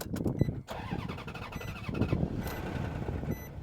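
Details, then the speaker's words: Mercedes W140 S-Class 6.0 L V12 at a Copart lot, with wires dangling and someone having been in the fuse box: cranks, catches, then stumbles with a lumpy, uneven idle. The check engine light was on and it ran extremely rough, so it was shut down; cause unknown. "All right, so it does start. I'm going to shut it down because it's not very happy at all. We had the check engine light running extremely rough."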